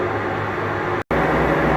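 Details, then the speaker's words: Maytag Bravos HE top-load washer, lid lock removed and lid propped open for testing, on its last and final spin, about twice as fast as earlier; very fast, even whooshing hum with steady motor drone, no knocking or scraping: normal high-speed spin. "right I take it back this is actually the last and final spin and it's twice as fast it has to spend a minute ago I didn't actually realize this one spun that fast"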